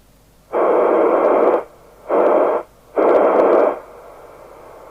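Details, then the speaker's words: Harvard 420M CB27/81 UK FM CB radio, squelch at full, sensitive end, no signal: loud hiss bursts straight through; squelch not muting, caused by a resistor removed from the squelch switching circuit. "this is weird it's actually very noisy you can you can hear it so [Music] and that's because it's at the sensitive end"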